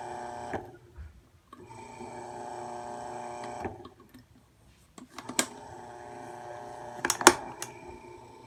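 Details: Marubishi CF 16DF electric fan running: steady mid-pitched electrical buzz under the fan noise with a few sharp echoing rattles; something is vibrating abnormally, cause unknown.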